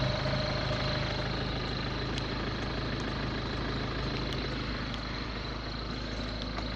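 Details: Ford Focus 1.6 TDCi diesel at idle: steady idle with a fine rapid ticking on top and a thin whine; abnormal engine noise, cause not clear.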